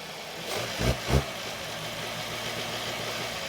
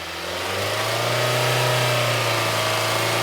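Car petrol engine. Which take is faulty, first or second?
first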